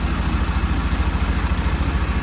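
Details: Rebuilt Mercruiser 4.3 V6 idling in base timing mode, about 1° before TDC, timing light on #1: steady even low idle, smooth regular pulse, no knocks, misses or ticks; healthy.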